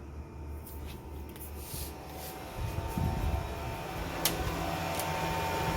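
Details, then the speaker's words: Toyota Aqua (Prius C) hybrid, AC lowered to 28–29 degrees: soft steady condenser fan whoosh over a low cabin hum that eases off and stays even; fan noise is more noticeable on battery mode; normal, nothing wrong. "Less Noisy again This is a normal thing, No Need to worry about it. Your car and AC is fine"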